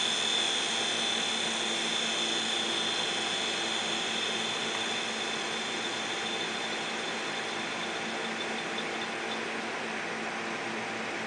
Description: 500gig Maxtor Hard Drive... Head crash, both sides, all platters.